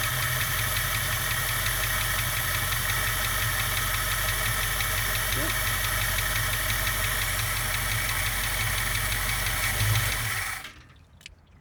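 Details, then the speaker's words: 1967 Mustang convertible parked since about 1994, first start after adjusting the carburetor idle circuit: even, steady V8 idle with a regular lope, no misses or knocks, fluid heard probably filling the heater core (needs antifreeze); normal idle. "so far so good i can hear fluid it's probably going in the heater core and stuff"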